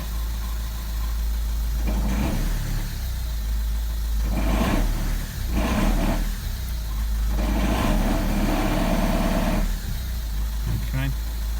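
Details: 2009 Ford Mondeo MK4 2.0 TDCi 140 bhp 6-speed diesel idling in first with handbrake on and clutch up: loose rattling bursts every few seconds over a low drone; owner suspects dual mass flywheel failure, not fully certain.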